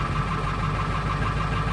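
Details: 1995 Ford F-250 7.3 Powerstroke diesel, cold weather crank-no-start with glow plug relay suspected bad; after jumping the relay posts about 10 seconds it fires and settles into a steady, even diesel idle.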